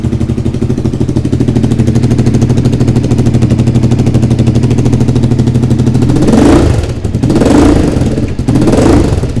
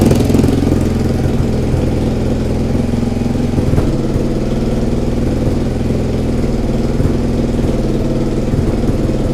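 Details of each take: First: Suzuki SV V-twin after the engine rebuild and timing correction, at idle with throttle blips: a sharp puffing chuff rides each firing pulse; exhaust leak still at the top joint, gaskets need replacing. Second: Suzuki SV twin after engine rebuild and corrected timing, starts instantly: even steady twin-cylinder idle with no misses, knocks or hunting; runs much better, a small exhaust leak at the top remains.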